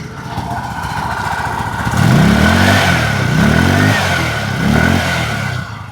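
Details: Scooter after replacing a broken exhaust bolt that had caused a strange noise on acceleration; engine blips up and down three times with pitch rising and falling cleanly, no rattle or buzz; normal revving.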